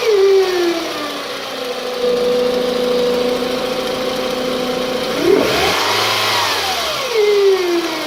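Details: 2006 Toyota Camry: clear whine rising and falling in pitch with revs over the engine note, sounding like a supercharger though none fitted; cause not identified.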